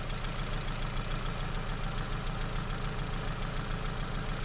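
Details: Ford Focus with customer-supplied faulty new spark plugs, number two plug exploded out: steady low idle with regular thumping around three a second and uneven beat; cylinder misfire, no ignition on number two.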